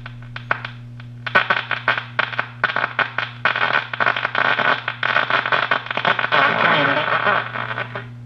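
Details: 1937 Gilfillan 731T-C radio at three-quarter volume, compared against clean audio from the signal tracer at the 6K7 IF amplifier plate; hum under rough, gritty, breaking-up voice and music, a leaky coupling capacitor distorting the output stage.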